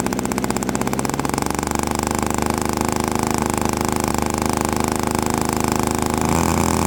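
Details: Quadra 50 single-cylinder gas engine in a model airplane, first start after 25–30 years sitting, motor still tight: fast, even buzzing run that steadies after a brief rise; sounds good, just slightly rich on the high end.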